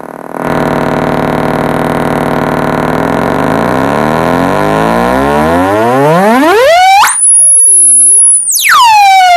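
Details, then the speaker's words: Kenwood 745 old-school amp on a bench test with possibly rusty connection points and a positive terminal that won't tighten properly: a clean tone steps up through rising pitches to a high steady whistle and back down, undistorted, so normal output. "But anyways, instead of running it any further on the video, as you can hear, it is making a tone. It is making a pulse."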